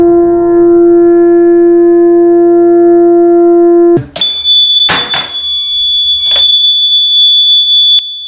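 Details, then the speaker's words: Watchdog water leak alarm, 9-volt battery, wire sensor submerged in a bedpan in a closed bathroom: one continuous, loud, unwavering single-pitch tone. "on a 9-volt battery the alarm sounds should last approximately three days if you have this near a door somewhere and closed you should be able to hear this outside it's that loud"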